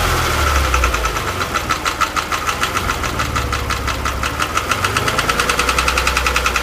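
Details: Porsche 997 engine, warm, held at 2000 rpm: sharp metallic ticking about three per second rides over the engine note at steady raised revs; cause unknown, owner asking for ideas.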